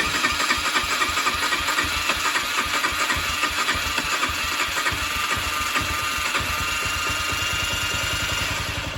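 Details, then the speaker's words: 2004 Honda CG125, petrol poured into the cylinder through the spark plug hole: the single fires with a quick, slightly uneven beat about four a second, then fades. Carburettor likely needs removing and cleaning, and the throttle cable is seized. "There you go. That is wired by Honda, guys. It probably needs the carburetor coming off and being cleaned up, but these bikes are bulletproof."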